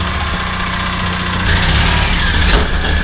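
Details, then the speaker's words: 2007 Suzuki Burgman 650 Executive scooter, neglected: rough, uneven idle with a quick light ticking about four times a second. A top-end tick; low oil is suspected but not confirmed. Valvetrain ticking at idle. "he's running she's ticking he sounds like crap let's cut this thing off let's get into it let's figure out what's going on this thing sounds like garbage"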